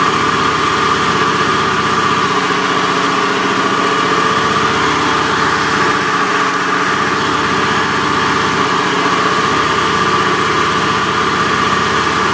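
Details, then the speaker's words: Honda Beat FI scooter at idle: harsh, gravelly, rough running with a dull throbbing, helicopter-like drone that worsens with throttle, typical of a worn left crankshaft bearing. "Oke, jadi suaranya seperti itu ya, kasar sekali. Kalau suara seperti ini biasanya itu krek as ya, klaker. Jadi bearing yang sebelah kiri itu biasanya aus."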